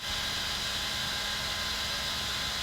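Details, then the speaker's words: New Raspberry Pi PoE+ HAT fan at full blast on a Pi: a loud, steady airy hiss with a faint hum and a steady pitch, louder than the old HAT (54 dB at close range, 2.4 CFM); noisy but normal. "first of all i noticed when the fan is going full blast it gets even louder than the old hat"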